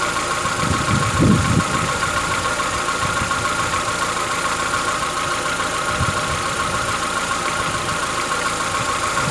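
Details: Chevrolet Onix 1.4 (2014-15), cold start on gasoline; light quick ticking about three per second over idle, lasting about 10 minutes, present since new and worsening yearly. Owner says it is inside the engine, not injectors, suspects lifter knock; dealers call it normal.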